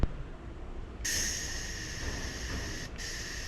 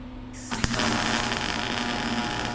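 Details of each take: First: Welding machine given to the owner and never used, shielding gas regulator adjusted with an Allen key; clean, even hiss with a few short breaks, no sputter or whistle, gas now flowing at a good rate. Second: Welding machine given to the owner and never used before, MIG welding window cages; steady loud buzzing hum with constant sizzling crackle once the arc strikes, wire feed seems very fast and the welder is unusually noisy.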